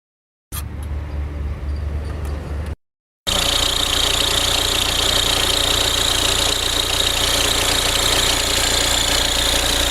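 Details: Audi A4 B6 1.9 TDI diesel: starts and settles into steady idle with fast, even chatter and hissy rattle on top; noise traced to the belt tensioner, replaced with a new tensioner.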